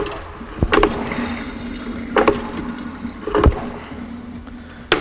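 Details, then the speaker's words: Tecnam P2002 single piston engine, cold, oil filler cap open: several clunks as the propeller is hand-turned, then a loud wet gurgling burp from the oil system, normal before checking the oil level. "turn the propeller until the engine speaks to us and uh you'll definitely hear a loud warp not very nice of it"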